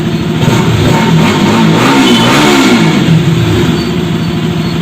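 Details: Bajaj RS200 after valve tappet adjustment and air filter replacement: idles evenly, then revs up and settles back smoothly with no knock or tappet tick over the exhaust note; healthy.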